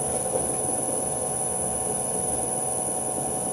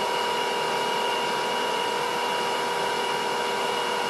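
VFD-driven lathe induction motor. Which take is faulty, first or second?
first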